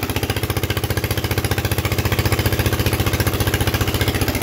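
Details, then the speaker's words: Onan 3.0 DJA single-cylinder genset, no muffler, decompression solenoid faulty and worked around, AC leads reconfigured, run at 75–90% capacity; loud, even, unmuffled pounding, steady beat, no misses or knocks: normal running under load. "you could hear that DJ running the noises are extremely offensive which is good"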